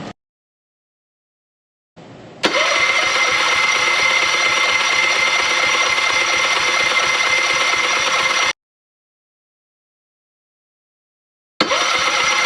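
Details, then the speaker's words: Tohatsu 9.8 outboard during rebuild, compression test cranking on the electric starter: even beats of about three and a half per second, no weak strokes; each cylinder reads 110 psi, perfect and even, and the plugs are slight brown with no oil. "So each cylinder was at 110 psi, which is perfect for these power heads. So now we have even compression in each cylinder."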